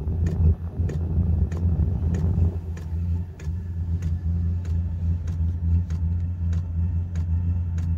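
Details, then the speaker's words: Portable Chinese 12V 8kW diesel heater startup, about a minute after switching on: crisp regular ticks about twice a second over a low steady rumble as the fuel pump starts feeding the burner; normal. "That's the fuel pump started, so what was about a minute from pressing on. So she's now pumping fuel into the element, into the burner."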